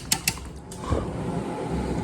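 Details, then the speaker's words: 23-year-old air conditioner with front cover off, fan on low: a couple of switch clicks, then smooth even low whoosh with no grinding or bearing noise; normal fan running on low speed. "See, there's the fan right there. It sounds good. No bad bearings unlike the new units."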